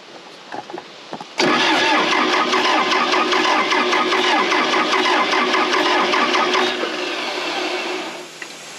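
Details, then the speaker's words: Case 450B dozer diesel, abandoned 15 years, rebuilt Roosa Master DB2 pump: steady cranking about two and a half compression beats a second for five seconds, never catches; no high-pressure fuel, owner suspects one stuck plunger. "well i don't think we're getting any high pressure fuel maybe just the one plunger stuck maybe we can get it to run on three"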